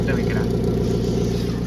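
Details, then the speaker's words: Hyundai i20 idling: loud raspy throaty race-car-like burble; bend/silencer pipe underneath worn through with a hole, exhaust leak at idle, common i20 problem. "இங்கே pipe வரும், pen pipe, silencer pipe. அது வந்து கீழே தேஞ்சு ஓட்டையாயிருக்கு. அதுலேருந்து தான் sound வரும்."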